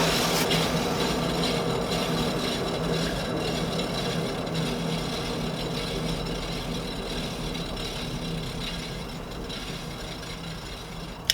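Hand-spun wheel gives a dry, gritty rumble that fades as it slows; the rear hub bearing is worn and needs replacing.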